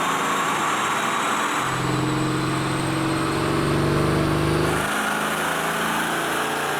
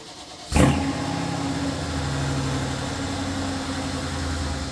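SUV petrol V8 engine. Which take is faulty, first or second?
first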